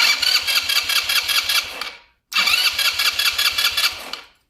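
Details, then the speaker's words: Quad (ATV) after replacing a faulty regulator that was blowing fuses: two bursts of brisk, even starter cranking with no start, because the carburetor was cleaned and no fuel tank is fitted. "tenemos marcha este no arranca porque lavamos el carburador y no tiene el tanque de gasolina"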